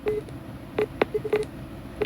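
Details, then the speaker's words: Camco EZ Level wireless level sensor on a trailer beeping: short mid-pitched beeps in uneven bursts, about six in two seconds. The sensor is not yet centered, so the trailer is not level. "that's the noise it's making and it's not quite centered okay so I'll have to make sure I get this Center"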